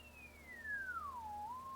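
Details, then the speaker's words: Henry Tempo One ham radio receiver, warming up, microphone near the speaker: calibrator tone comes through very faintly over hum even with volume fully up; S-meter responds, audio amp suspected working; weak receiver audio, cause not yet confirmed. "so as you can hear hopefully we do have audio but it's pretty low"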